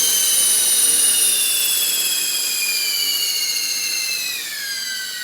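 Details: RC helicopter after oiling main rotor shaft, motor, main gear, tail drive and tail pitch bearings: a piercing steady high whine whose pitch slowly drops as the rotor slows; source still undetermined.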